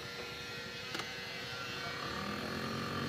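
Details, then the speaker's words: Maruti Suzuki Swift AC blower motor with weak airflow: thin steady whirring with a faint ringing over a light rattle whenever the blower runs; debris is suspected inside the blower motor. "इसकी जो blower motor है वह आवाज कर रही है blower अपन जैसी चालू करते हैं वैसी आवाज आने ग जाति है"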